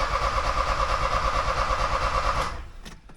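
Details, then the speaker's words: 1979 Porsche 924 being restarted after the distributor was apart: about three even starter pulses a second under a whirring tone, never catches and stops cranking; the distributor sits one tooth out, throwing off ignition timing. "Yeah, I got the distributor one cog off, so I'll just turn it so it's in the right spot."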